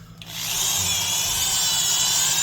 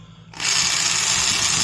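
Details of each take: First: Milwaukee 0299 half-inch Magnum Hole Shooter corded drill: steady high whir holding one even pitch from spin-up to release, no grinding or clatter; gears sound healthy, as good gears should. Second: A worn Milwaukee 0224-1 3/8" Magnum corded drill spins up into a loud, gritty "box of rocks" rumble. Its undersized gears are worn out; the gearbox has very little grease, but that is not the root cause.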